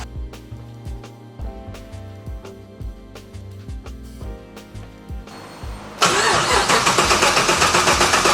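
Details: Restored classic car at Classic Speed that hasn't run yet, cranked after writing the ECU with HP Tuners and an intake air temperature/MAF sensor problem being flagged: music, then steady starter churn at about four beats a second, and the engine never catches.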